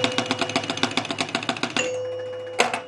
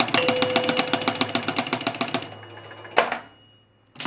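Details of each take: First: now i'm going to do the same thing i'm going to close the out hole up here manually and listen for the two bells as this thing scans here it we got the two we got both of those outside targets Second: 1976 Gottlieb Target Alpha EM pinball, out-hole scan with two drop targets down: quick relay clicks then only one bell (1,000 points) instead of two; scan disc misadjusted, fixed by loosening three screws and rotating it.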